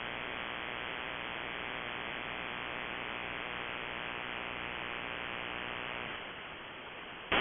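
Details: HAM shortwave receiver: constant rough broadband hiss and buzz with no signal underneath; RFI from an unknown source, persists with the house main breaker off, on a timer, going off at 7:31 pm and returning in the morning; owner suspects a grow light or powerline.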